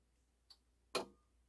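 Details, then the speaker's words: Pioneer PL-560 turntable, cut pressed on the mechanical switches: sharp click then a louder clack half a second later as the tonearm swings fully home to rest; normal auto-return. "There we go, all the way back to its resting spot. Beautiful."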